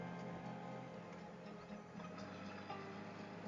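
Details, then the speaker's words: 2016 Honda Goldwing after installing a ground loop isolator (P/N 03216) on the Bluetooth phone audio. Music plays at full volume with no alternator whine rising and falling with engine revs, which was present before; the fix was successful. "And like I said before, when I did this, you would hear that revving in the music. But there's no revving in the music today. So I think the connection was a success."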